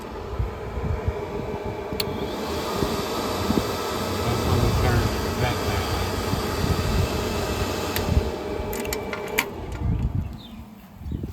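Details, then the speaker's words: Huayee HY14C mini excavator after installing an additional cooling fan, switched on without cranking the engine: steady, even airy whir of the fan, called the hydraulic fan, with no engine running; fan works normally. "So when you turn it on, you can hear the hydraulic fan running and then"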